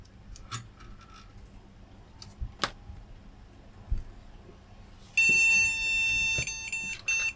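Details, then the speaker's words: Flea market retro PC at power-on with graphics card fitted, fan not working: one long high beep then short broken beeps, BIOS reporting no graphics card detected; graphics card suspected faulty. "again it's saying there's no graphics card could be a problem with this graphics card"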